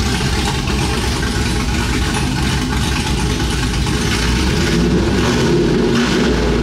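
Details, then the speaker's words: Chevrolet Silverado cammed 5.3 V8 idling on newly installed long tube headers, exhaust not finished so open and very loud: choppy, raw, harsh rumble with uneven lope around three per second; normal healthy cammed idle. "We're not gonna be able to finish the exhaust right now so it's just gonna be very loud for a while but uh that sounds great"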